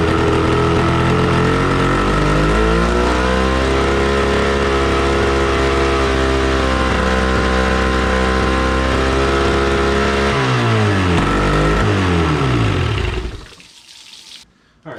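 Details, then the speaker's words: 1996 Johnson 25 HP tiller outboard, long abandoned, new fuel line and primer bulb, carb float needle freed, run on hose muffs: two-stroke chatters a dozen seconds then sags and dies; stays running only when primer bulb pumped; no water stream either. "um it's not staying running unless i pump the ball also we're not getting any water so that's something i'm going to have to look into as well"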